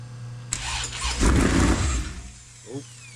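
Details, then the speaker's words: Sandrail engine at first start after engine swap (fuel pump and starter wires had been crossed), factory tune; starter catches, engine flares briefly on throttle then sags and fades within a second, won't hold idle, dies if throttle released. "Can't let all the way off or it dies."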